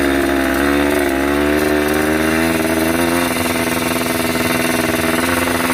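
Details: Yamaha 125 enduro two-stroke, revived with a fresh spark plug, fresh gas and a little choke: crisp revs build and ease off into a steady, even ring-ding idle with no misses. Normal rev and idle.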